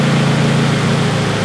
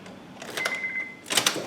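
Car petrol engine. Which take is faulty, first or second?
first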